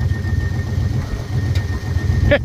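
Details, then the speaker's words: Square-body dump truck that sat about ten years, carbureted engine, after freeing the stuck carburetor float and fitting a new gasket: steady, even low rumble with no misses or knocks. Normal idle. "got her back together sitting here idling we didn't do anything else to the car but get the float done stuck and throw a new gasket on it"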